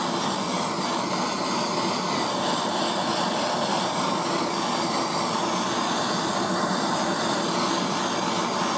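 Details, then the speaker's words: Heat gun or torch warming a P2 Morse taper lathe live centre body, kept warm not red hot, to see condensation form before fitting; steady even roar of hot air with no change in pitch or level. "now you don't want to get it red hot i just want to get it warm and see some condensation forming in there"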